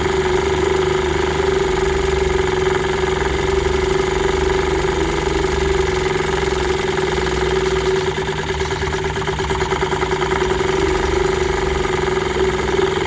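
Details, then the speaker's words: 1946 Elgin 1.25 hp outboard (Sears), early serial, in a test tank after a fuel-system overhaul and touchy carburetor adjustment, likely too large a prop: constant buzzy two-stroke drone at steady pitch, no stumbling. Normal running. "it started up and seemed to run pretty good once I got the carburetor adjusted it's pretty touchy but I got it dialed in it seems to be doing okay"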